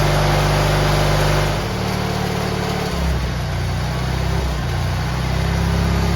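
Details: GT18 garden tractor twin, carburetor refitted and repairs done, air cleaner still off: steady drone easing down as throttle closes, then running evenly without stumbling; previously it flooded and chuffed smoke past half throttle once warm.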